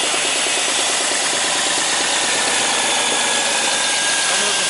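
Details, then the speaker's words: 2000 Chrysler 300M restarted after its purge-valve vacuum line was reconnected, with an open-loop fault: lumpy, uneven idle with irregular stumbles over a hissy background. Misfire suspected. "Now it's an open loop fault again. That sounds pretty mean."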